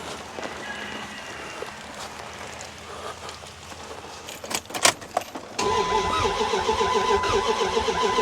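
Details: Old Dodge Ram: the starter churns with an uneven three or four pulses a second and the engine never catches; strong spark but uneven compression heard, owner suspects distributor timing was disturbed; cranking no-start.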